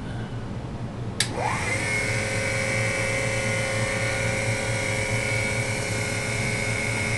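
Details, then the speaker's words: RT-7/APN-1 radar altimeter switched on at 28 V DC: after a click the dynamotor whines upward as current jumps to about 6 A, then settles into a steady hum near 2.5 A. Normal dynamotor spin-up. "You'll hear at first the whine of the dynamotor as it spins up, and you'll see the current jump there and then settle down."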